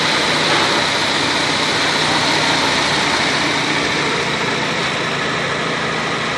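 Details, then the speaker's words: Nissan Sylphy after repair of a month-long jerking misfire, when the engine was running on 3 or 2 cylinders (model weak point: moisture shorting the plug coils). After the test drive it holds a steady, even idle with no misses, as smooth as originally. "ขับทดสอบมาแล้วครับผมเคื่อนเดินนิ่งครับอแล้วก็นิ่เหมือนเหมือนเครื่องตอนแรกที่มาเลยครับ"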